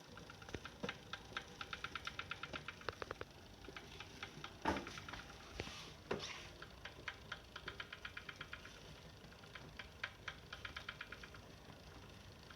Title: Saris H3 clicking sound